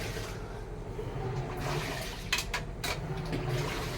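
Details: Samsung automatic washing machine after controller board repair that previously would not wash because water would not enter: water rushes in steadily and sloshes evenly in the tub, no grinding or knocking; filling and washing normally.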